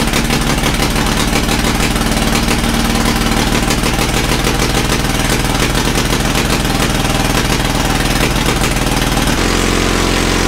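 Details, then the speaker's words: Caterpillar D2 5U7968 starting engine after carburetor rebuild and starting system refurb; steady, unhurried tick-over holding speed without hunting or missing; normal idle. "oh you [Music] idle's like a champ"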